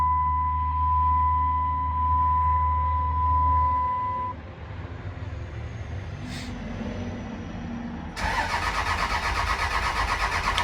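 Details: Non-running Cummins diesel single-cab truck cranking: the engine spins over on the starter with an even churning beat but never catches, with no tach signal. The lift pump is unplugged, so no fuel; a bad crank position sensor is also suspected.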